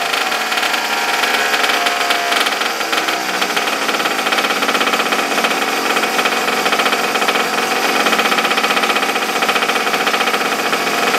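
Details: Abandoned small single-cylinder engine, choke on, after regapping the plug for weak spark: runs on its own with a busy rapid buzz that holds steady; starts and keeps going fine.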